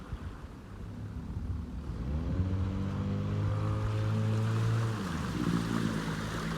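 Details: Abandoned jon boat's small two-stroke outboard, unknown if it ran after sitting since before winter, started in water: buzzes up from idle, holds a steady even note, settles back; runs clean with no misfire or stumble.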